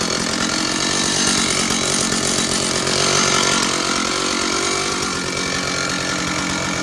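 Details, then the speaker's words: Stihl 056 AVSEQ 87cc early-80s chainsaw (Super Electronic Quickstop) running after a replacement SEM ignition module cured a missing-like sound; high raspy two-stroke buzz holds steady and even with no stumble or misfire, running cleanly and healthy. "So let me show you what she sounds like. She's an amazing engine."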